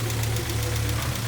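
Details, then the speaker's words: Honda CR-V B20B warming up after a head gasket job: steady low hum with a faint, quick ticking over it as it revs. The owner suspects one valve is slightly out of adjustment and plans to adjust the valves again. "There might be a slight tick on one of the valves, which is fine. Sometimes you have to redo that. I'm not the best valve adjuster in the world."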